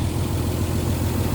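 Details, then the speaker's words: 1924 Mercedes-Benz truck being driven after revival, diesel engine with ZF gearbox and planetary diff: deep even beat with steady low rumble and no knocks or rattles; no noise in the running gear, engine running perfectly, only the splitter needs fixing. "um no noise in the running gear you can hear the engine's just perfect big solid diff planetory"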